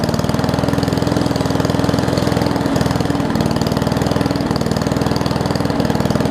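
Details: Old Murray push mower with a Briggs Classic single-cylinder, fuel tank swapped from another mower and oil topped off. It gives a steady, fairly slow putter with no speed pick-up, idling low, apparently because the governor spring is missing.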